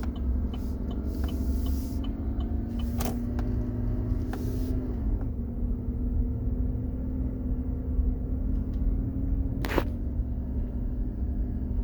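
A steady mid-pitched whine holds over the low engine rumble and drifts slightly with speed, coming from underneath the truck.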